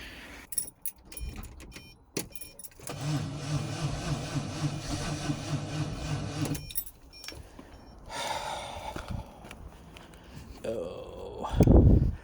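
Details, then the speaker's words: 1999 Maserati 3200 GT: a few seconds of slow, labored cranking, then silence, and the engine never fires; the battery checked in good condition, so the starter motor is blamed. No-start. "Is it even the battery? It'll be the starter motor, won't it?"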